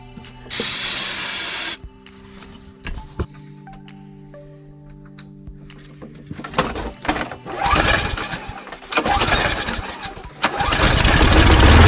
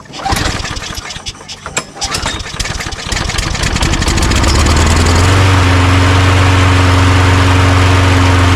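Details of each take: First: Toro Recycler mower with no gas, started on starting fluid: fires, builds briefly, then fades and dies; likely fuel related, with plans to clean the carburetor. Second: Toro Recycler self-propelled mower, which had run about 30 seconds then died, after carburetor cleaning: coughs through a few pulls, catches at about five seconds, then holds a steady drone.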